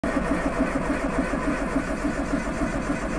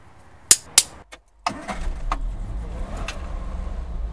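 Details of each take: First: Triumph Spitfire 1500 with points distributor: steady cranking at about 3.5 beats a second without catching; hard starting, probably from incorrect points gap affecting spark timing and strength, before adjusting. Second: Triumph Spitfire 1500 after setting distributor points gap to 0.38 per manual: a couple of sharp clicks, then fires first try and settles into a steady low rumble with no hesitation; normal start after fix.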